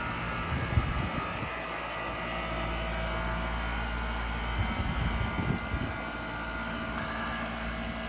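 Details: Outdoor AC condenser during home inspection after running about 15 minutes and cooling well: steady fan whoosh over even compressor hum, no rattles or cycling, normal quiet running.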